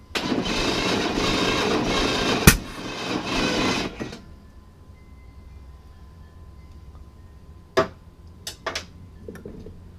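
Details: Chevy S10 Blazer being revived, at start-up: the engine catches and runs rough, with one sharp backfire pop about 2.5 seconds in, then shuts off.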